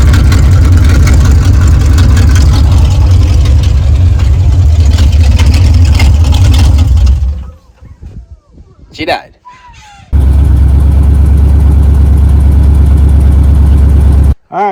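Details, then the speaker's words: 1979 Chevy Suburban eight-door shuttle, first run after fuel manually pushed into the carburetor, throttle linkage messed up: steady low idle rumble with an even beat that cuts out briefly then settles smoothly. "Maybe maybe that's idle there. He's idling. Actually doesn't sound too bad."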